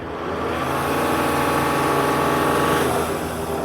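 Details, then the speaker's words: Mercedes-Benz GL (OM642 3.0L diesel) with intermittent crank-no-start and power loss, revved in bay: engine climbs through revs with loud steady hissing rush of escaping air; huge charge-air boost leak, location not yet found. "Oh, do you hear that? Do you hear that hissing sound? We have a huge boost leak."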